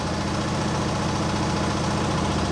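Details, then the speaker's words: Small single with Nikki carburettor, restarted after running poorly: smooth, regular idle with a steady low thrum and no stumbling or misfires. It runs fine now; the owner suspects the earlier trouble was water or moisture. "I just had it running and now it runs fine. Nice. Well, for now at least. So, perfect."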